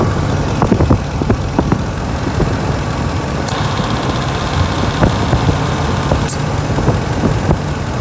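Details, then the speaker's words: Vehicle A/C running at idle on a hot 90-degree day, gauges connected: compressor clutch kicks in then drops out about three seconds later, short cycling because the refrigerant charge is low. "it'll turn it back on once the compressor comes on it's sucking the system dry quick because there's not enough refrigerant"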